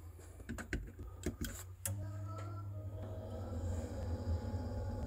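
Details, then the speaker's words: Old Glow Worm Micron 50FF boiler, cover off, intermittently failing to start: after a few clicks the fan starts with a low hum and steady whirring from a worn motor bearing; shaft later freed with WD40. "sometimes the fan isn't getting going so that's why i'm suspecting the bearing um but there's also a kind of a wearing noise in there which is typical of when a bearing is on its way out"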